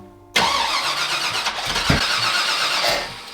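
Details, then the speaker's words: Firebird with new 408 Whipple-supercharged engine, first start-up: catches and runs rough and uneven with scattered pops and snorts, four coil packs plugged into the wrong spots; misfire on startup. "Okay. Fired now. Got some pops and snorts. Coils are plugged in on the wrong sides."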